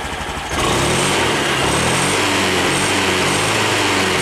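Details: 2020 Honda Beat scooter, fuel-injected, after injection altitude mode reset: settles into a steady, even idle with no hunting or surging; injector duration about 2.5–2.8, running normally.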